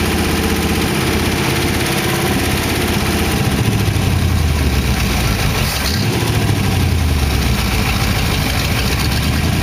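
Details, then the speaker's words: Warm idle on a 1914 Dodge T-bucket roadster V8 with carburetors after first start: deep, steady thrum holding an even speed with no ticking or knocking. Good oil pressure; the lifters ticked at first start, then calmed down. "the lifters were ticking when I first started it they calm down"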